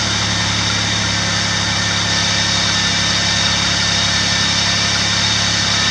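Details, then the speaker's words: 2008–2011 Dodge Grand Caravan / Chrysler Town & Country 3.8L, first start after replacing spark plugs and wires: smooth even idle, steady low hum, no misses or ticking; normal idle, wires in correct cylinder order. "Alright, sounds like we succeeded. If you get any results other than that, then you've probably got a problem, and you probably didn't follow your cylinder order numbers."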